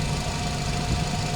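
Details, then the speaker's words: Nissan NV350 QR25 four-cylinder idling after timing chain replacement (previously camshaft signal error, erratic idle): even steady idle, no hunting, tapping or chain rattle; engine light off, running smooth. "the engine is running smooth no eratic iing as you can see it's running smooth there no warning light on the dashboard"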